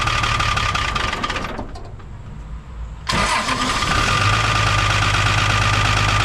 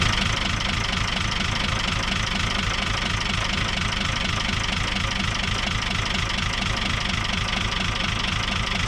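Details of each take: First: 1975 Chevy stepside with Isuzu 6BB1 5.4L diesel, rebuilt injection pump, after adjusting injectors that were popping off too low and bleeding: catches after a brief gap, then settles into a steady even idle clatter with slight roughness. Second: Isuzu 6BB1 5.4L diesel in a 1975 Chevy stepside pickup with a tailgate-rebuilt injection pump: uneven, lumpy idle stumbling about twice a second, likely firing on only four cylinders; cylinders 5 and 6 run about 10° cooler. Miscalibrated injectors suspected.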